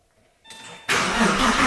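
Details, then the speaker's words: 2001 Porsche 996 Carrera, M96 engine, 59k miles, started cold straight off the transport after a water pump job; rough idle with a steady bearing-like drone, not rod knock; the new water pump is suspected, possibly the clutch. "now it's making an atrocious sound and not rod knock it's like a bearing maybe new water pump I don't know"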